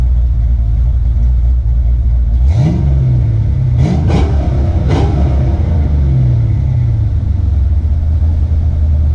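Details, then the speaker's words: Ford Foxbody Mustang with BBK headers, just back from a shop after H-pipe exhaust leaks were fixed; deep, airy, not-obnoxious exhaust with a few quick blips rising and settling smoothly, no ticking or puffing, exhaust now sealed; normal exhaust note. "But this is really deep. It's really airish, if you know what I mean. It has that airy tone to it. Sounds really good, guys."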